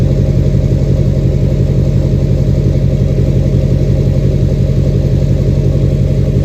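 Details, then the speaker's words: 2006 Chevy Silverado LBZ Duramax diesel, DSP5 tune (tunes 2 and 4 give ~10% vane position for rumble), new 5-in exhaust with minimal Diamond Eye muffler: deep even rumble, steady low pulse, no knocks or misses; normal idle. "But, man, I love the way it sounds. Listen. Sounds mean. Sounds the way a truck should sound."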